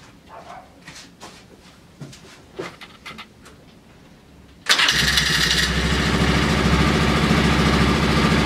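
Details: Polaris Ranger 6x6 that sat two years, carb cleaned, old gas drained, running from a reserve fuel tank: a few quiet clicks, then it catches at once and settles into a steady, even idle with a crisp exhaust beat. Healthy start.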